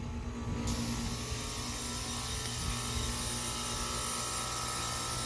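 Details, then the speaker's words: AC condenser fan motor stalled, giving a steady electrical hum with a faint buzz and no fan rush; the unit was acting funny with weird noises, traced to a failed capacitor. "uh i think the uh something's going on with the ac unit here uh we noticed it was acting kind of funny making these weird noises"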